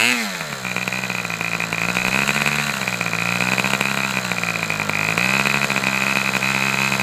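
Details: Fox twin-cylinder model engine: high buzz idles unevenly near 3600 rpm, pitch sagging twice as one cylinder cuts out and pops back with throttle; low-speed needle to be adjusted two notches.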